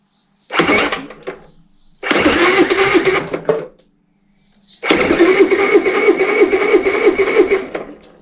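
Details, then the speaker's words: Honda EU30iS (EU3000iS) generator with GX200 engine, no petrol in it, test of starter engagement: three bursts of starter whirring at about three cranks per second, engine turns freely but never fires as expected; starter motor cranking, engine turns over. "I just want to test see if the starter motor engages and that the engine Cycles"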